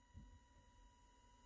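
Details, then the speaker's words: Small DC motor from the Elegoo starter kit, driven by Arduino PWM and ramping down in speed: buzzing grows into a faint, steady high ringing with no spinning. The motor stalled because the low PWM drive gives too little power. "you can hear the buzzing getting louder which means that there's not enough energy to push the mirror anymore there you go so he ran out of power to push the motor you know well before 20."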